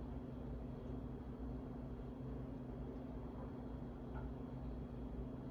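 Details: 52" Harbor Breeze Asheville ceiling fan from February 2013, still dirty before restoration. Steady low motor drone with constant hum and no clicking as it labours on a failing run capacitor.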